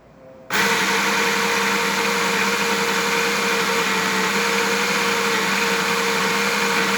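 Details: Baratza Sette 270Wi espresso grinder after repair (previously would not grind or respond to buttons): instant start, then steady even motor hum with constant grinding whirr, no stalling or labouring; grinder runs fine.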